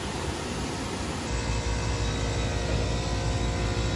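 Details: Three-phase HVAC blower motor that had been barely turning, from melted wires and a broken, missing contactor contact. It now gives steady rushing airflow over an even motor drone with no surging, grinding or cutout.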